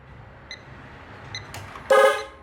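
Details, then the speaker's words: Toyota Camry, horn dead from the button: a single quick horn toot at key-on while testing at the fuse, showing the relay activates and power reaches the horns through the fuse. "now if you remember in the beginning when we turned the key on we heard the horn for a quick second so we're going to try that and see what we have here at the fuse all right turn the key on"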